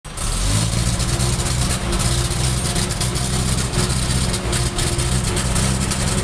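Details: Isuzu Reward truck, 4HG1 diesel engine at idle: clattering with an uneven, lumpy beat and occasional dips in rhythm; engine misfire, cause not stated.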